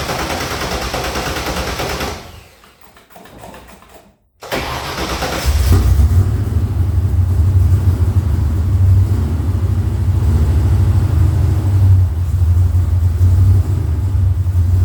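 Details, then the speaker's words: 1977 Mustang II engine built about 10 years ago on a bought short block, never ran right; true cold start after long sitting catches after a pause, then lumpy, uneven stumbling low idle with smoke; runs rough, cause unknown. "so it'll start and run but it runs bad smokes"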